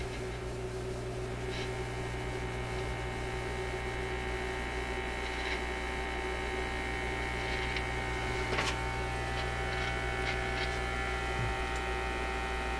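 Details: Zenith Y825 vacuum tube AM/FM radio: a constant low hum with a faint buzz after a tube is reinserted with the set running; the set is still humming and the source is not yet found.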